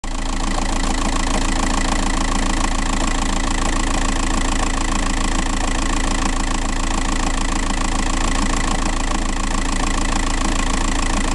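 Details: TDI 105 diesel at idle: steady regular knock about three or four times a second riding on the clatter; owner points to the flywheel noise, cause unconfirmed.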